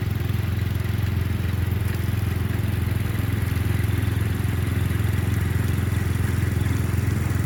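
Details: Murray Select 30-inch riding mower being fixed up, mowing on a slight incline with an unsharpened blade: steady low single-cylinder thrum, even beat, no stumbling or surging; cut decently, runs normally under load.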